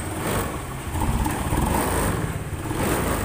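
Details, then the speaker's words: Honda Beat FI / Scoopy FI scooter with MIL code 7, oil temperature (EOT) sensor wire broken internally, possibly chewed by rats: idles fine but stumbles and bogs rough when throttle opens. "Digas kayak ngempos-ngempos. Ngempos-ngempos. Motor bisa langsam tapi kalau digas ngempos ini."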